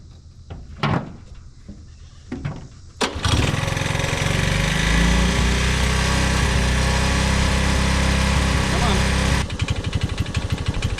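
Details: Honda ATC185 single after carburetor tuning (mixture screw set about 2.5 turns out) fires after a few pulls and holds a fairly steady idle around three beats a second; mixture seems about right, normal idle.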